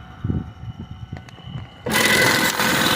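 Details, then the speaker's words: Rebuilt Fischbein sewing pedestal with electronic eye bag sensor, air thread pusher set to 80 PSI, sewing a paper bag: a few light clicks, then a loud, steady, fast chatter at an even pace; it runs smoothly and makes a perfect stitch. "we're going to go ahead and feed our bag in so you can see the unit sewing there you can see did a really nice job made a Perfect Stitch"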